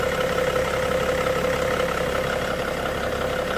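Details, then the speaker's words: 2007 BMW E61 525d diesel, after repair of cold-start shaking, erratic idle and smoke, glow plugs working: even steady clatter, no stumbles, shaking or smoke; normal smooth idle. "And it's running absolutely perfect. Running really smooth as you can see. No shaking, no vibrations, no nothing."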